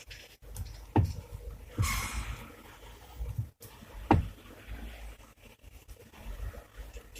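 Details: Chery Tiggo 7 steering column: all joints tightened and U-joints checked, yet dull irregular knocking remains with the wheel in its lowest locked position and when turning. A stethoscope traces it to the electric power steering unit, a rare fault that misleads diagnosticians.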